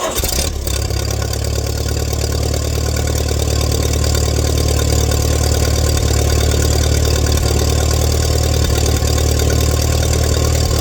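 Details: Restored 1947 Allis-Chalmers WC tractor that fired but would not stay running, after removing the hose, checking the gas and adjusting the idle mixture screw: catches right away and settles into a deep, even idle with no stumbles; runs well.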